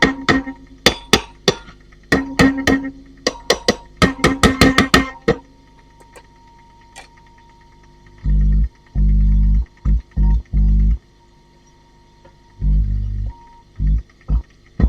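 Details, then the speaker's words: Valve amp with EF86 and ECF82: each tap on the ECF82 sets off a sharp ringing clang through the amp with short bursts of boom after; the ECF82 is microphonic and needs a vintage replacement. "But if I tap the ECF82, I think that's the problem, child."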